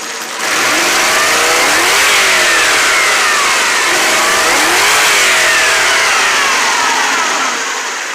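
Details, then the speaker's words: 1992 Lexus LS400 after a coolant temp sensor replacement, coolant reading 203, idle 650 rpm, one O2 sensor not switching with one side rich and one lean, minor knocking; revs rise and fall with faint unevenness on the climbs; still hesitating slightly when revved. "stumbling a little bit still"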